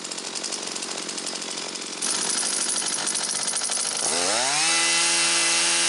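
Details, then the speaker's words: Husqvarna 325P4 pole pruner after the wiring was taped and sleeved, with new fuel lines, fuel filter and purge bulb: steady buzzing idle, then a clean rev to an even high scream with no stumbling; runs properly. "Alrighty guys, we got the Husqvarna pole saw going once again, but hey, if this helped you out, and remember that this can happen to any manufacturer."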